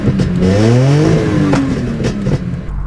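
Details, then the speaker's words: BMW E46 M3 with an RKTunes tune: revving is uneven and choppy and it struggles to accelerate, as if missing cylinders. It sounds different than before. An air temp sensor issue remains, and a service engine light came on last week; the cause is unconfirmed. "I missing cylinders that's not how it sounded before that's [ __ ] fun it's struggling to accelerate"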